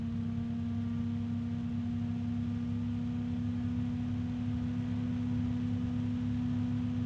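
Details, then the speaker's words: bgears b-Blaster 140 fan, third unit after two with damaged bearings; steady low hum with even airflow rush, only a very faint rubbing or harmonic resonance, no ticking or grinding; running normally, roughly 25–30 dB, a little loud. "now if we listen to this all I'm hearing is a very faint rubbing sound harmonic resonance"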